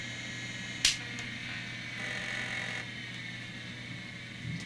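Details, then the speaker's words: MICATA MBVLSI-168 AMD 286 system shutting down with cover off; single sharp click over steady whir and hum, hard drive heads auto-parking normally. "the auto parking in action if you wondered"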